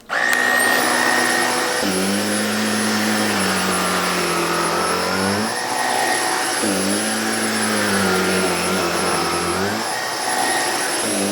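Steady high motor whine with smooth pitch dips as suction adjusts, even and free of rattles; the vacuum is running normally.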